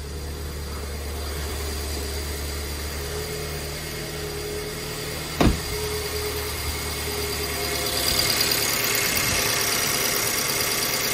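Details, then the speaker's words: 2008 BMW E90 318, partly cooled after failing to start fully cold: rough, uneven idle with a stumbling beat and missing pulses; diagnostics showed misfire in several cylinders, traced to a faulty fuel injector that was replaced with a used one. "so I can tell straight away it's misfiring started a little bit better than earlier on though when it was fully cold it wouldn't want to start at all so right now it's misfiring"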